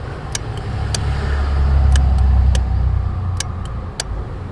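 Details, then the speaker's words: Power door locks not working though they used to: sharp relay clicks over low engine rumble with no lock motor whir, so the module activates the relays but the lock actuators get no power. "I don´t know if you can hear the relays clicking Which seemed very strange Because I thought That all locks might be burned Because we can hear that the module Is activating the relays"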